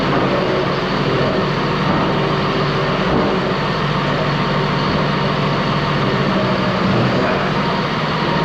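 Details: Ex-US Army Cat D6R bulldozer diesel, 822 hours: steady, even rumble, no knocking, misses or puffing; smooth and healthy, zero blow-by, hydraulic leaks noted.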